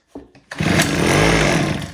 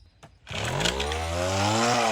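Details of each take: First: Homelite H17 gas hedge trimmer, spark plug refitted and starting fluid sprayed in: a couple of starter pulls, then the engine catches and revs about a second before fading; fuel delivery fault from a shattered primer bulb. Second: Homelite HT17 gas hedge trimmer after repair, two-stroke buzzes up quickly and holds a strong, even high note with slight rises and dips; runs good, blades need sharpening.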